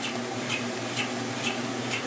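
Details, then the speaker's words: 1996 Maytag Dependable Care Plus washer on delicate cycle, heavy fleece blanket unbalanced in spin: tub shakes violently and squeaks with rhythmic thumps about twice a second, yet it hasn't gone off balance; it spins well below full speed. "You can hear the washer literally squeaking, but it's still not going off balance."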